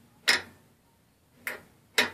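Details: Whirlpool washing machine lid switch after its cracked plastic caps were repaired with Krazy Glue: three crisp, clean clicks about a second apart with no buzz or rattle; the switch snaps over normally.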